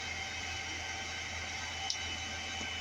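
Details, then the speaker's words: Modified sine wave inverter running off the car battery with engine running makes a loud steady low hum with constant high-pitched whine and hiss, same at 150 watts or higher, louder than the AC; owner plans to replace it with a 3000 watt pure sine inverter. "It's supposed to be quieter. All this noise you're hearing right now is this inverter running. It makes this noise whether it's at 150 watts or higher."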